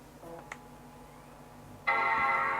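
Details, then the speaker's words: Apple PowerBook from a for-parts job lot (unclear whether the 12-inch G4 or the G3 Pismo), powering on again after refusing to start and being left to discharge for hours; faint clicks, then a full sustained chord: normal startup chime. "Okay, so it's turning back on this time."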